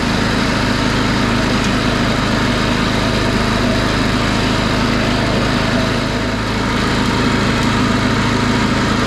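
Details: DR Field and Brush mower with Briggs & Stratton engine, after a new B55/5L580 V-belt: steady, even single-cylinder drone at constant speed, no knocks, slips or squeal; running smoothly.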